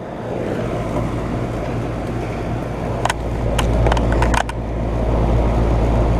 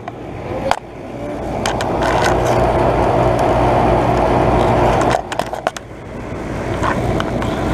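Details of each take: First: 2012 Bryant Legacy air conditioner condenser, first startup of 2022 cooling season: even low electrical hum, whooshing fan and a few light ticks; starts and runs smoothly. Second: 2012 Bryant Legacy air conditioner outdoor unit, first startup of 2022 cooling season: loud steady roar with fast rattle about four per second rising and falling; unit shaking, cause not identified.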